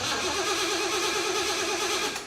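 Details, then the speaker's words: 1975 Jeep CJ-5 with Chevy 383 and Weiand 6-71 supercharger, hotwired after sitting over a year: steady fast cranking whirr with no firing, then cuts off; no fuel from the mechanical pump, gas evaporated. "I bet you there's no gas in it it's been cooking for like a year"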